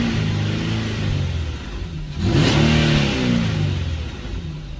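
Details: Infiniti G37/G35/Q40 after spark plug replacement and throttle/idle relearn procedure: engine blips up sharply about two seconds in, then drops back and settles to a steady, even idle; healthy running.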